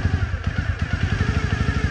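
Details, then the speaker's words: 1997 Honda Dream 50 (AC15) that sat a long time and spent two months in a shipping container, started up; small single lumps along with uneven, stumbling beats; carburetor definitely needs cleaning, maybe a new spark plug. "rough right now but uh it's been sitting for a while and it has been on a shipping container for two months so it'll definitely need a carburetor clean maybe new spark plug and everything"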